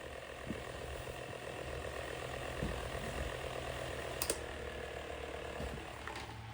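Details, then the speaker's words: Unknown 6-inch electric fan being tuned up, blades fitted and running; steady low hum with loose irregular ticking riding on it; something loose in the motor, owner suspects a worn thrust washer causing end-play rattle. "Yeah, if we put it back, it doesn't make that sound, but the reason is I think it's a worn thrust washer. Yeah, there's definitely something loose in there in the motor, as we've seen before."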